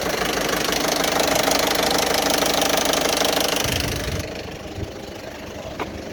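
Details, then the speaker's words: Citroën Berlingo 1.6 HDi after a new turbo and full service, with the oil warning light recently on: a harsh clatter of about three to four knocks a second at idle. Owner suspects low oil pressure from clogged filters. "okay so now i've got um an engine which sounds like a bag of spanners and the oil warning light came on a couple of days ago"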